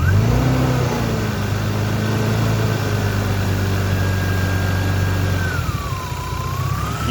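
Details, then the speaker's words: 1993 turbo BMW 325i drift car: a thin, steady high whine rides above the revving engine and dips as revs fall; the owner says the alternator is whining. "so I don't know if you can tell from the video, but the alternator is definitely whining a bit."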